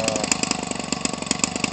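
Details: Homelite 25cc two-stroke converted for RC use, nearly new (about 20 ounces of fuel run through it), swinging an 18.6 propeller. Fast, crisp two-stroke popping at a steady idle with even beats and no sag or stumble: a normal idle.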